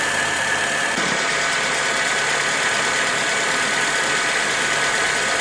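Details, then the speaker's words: 2008 Honda Civic, hot engine at idle, after fitting the original accessory belt: a steady, even normal idle hiss with no belt squeal. The earlier non-original belt squealed because it stretched as it warmed. "tá com o barulho dele mesmo não tem mais barulho de chiado né forte tá ó a correia original de boa"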